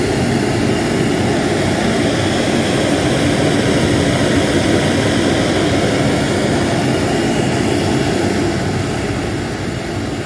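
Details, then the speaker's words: Homemade Reil-style propane forge burner from hardware-store pipe: loud, steady rushing roar with no pulsing or sputter, flame adjusted very oxidizing. "there you go now it's very oxidizing and hear the roar between the dock"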